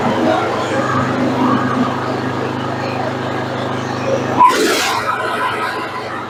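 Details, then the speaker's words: Craftsman II lawn tractor with a Briggs and Stratton 12 hp gas engine, stored for years, freshly serviced (starter cleaned, battery and cable fixed), running with the mower deck engaged: a steady, even, slightly loud hum with no knocks or misses, healthy. "Well, it's starting to run. It's a little loud."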